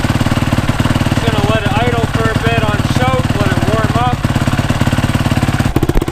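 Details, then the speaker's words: Freshly rebuilt Yamaha YZ450 single-cylinder, kick-started after sitting two or three weeks; fast light high-pitched ticking over lumpy idle alongside normal low cam rocking; stretched timing chain tick, later fixed by new chain. "but that high-pitched ticking that's a new noise that it wasn't going on when I after I'd freshly rebuilt a bike so it has me a little bit worried that something's a bit off"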